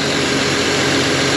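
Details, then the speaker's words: John Deere 7200R diesel tractor idling after exhaust manifold reassembly: sharp steady hiss over low rumble, exhaust leak on back side of EGR, possibly a folded gasket. "I don't know if you guys can hear it or not but I have an exhaust leak on the back side of this EGR"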